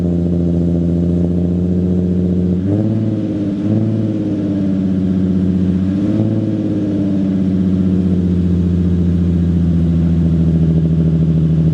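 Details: Nissan 350Z 3.5L V6 at startup after swapping test pipes for high-flow cats that are not yet broken in. A deep, even drone with smooth blips and no rattle or buzz; slightly quieter and throatier than before.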